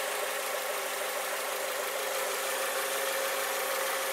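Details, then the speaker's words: New Lada Vesta SW Cross, engine idling during an owner's review: quiet, even idle with a soft hiss, no ticking or rattle, no vibration felt by hand; the engine runs normally. "ничего не сдает никакого треск я не слышу вот рука моя ничего не вибрации никаких все ровно 0"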